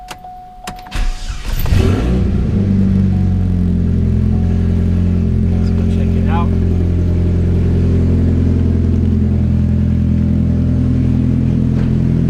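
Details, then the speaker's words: 2006 Chevrolet Cobalt SS with new ZZP Performance downpipe and header: cranks, catches, loud raw throaty idle; exhaust leaking after the downpipe, not from it, open right off the downpipe. "that it's not leaking off of the down pipe but it's leaking after the down right oh you guys this is crazy so ridiculous"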